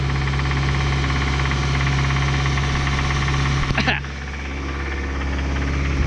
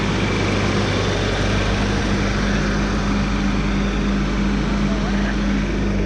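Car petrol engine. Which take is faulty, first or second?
first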